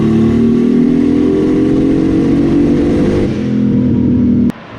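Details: Datsun 280ZX held at high rpm under load: the engine stumbles and misfires. The crank and cam trigger signals widen at high rpm, and rising-edge and pole-level trigger settings did not fix it. The owner suspects an upside-down trigger wheel.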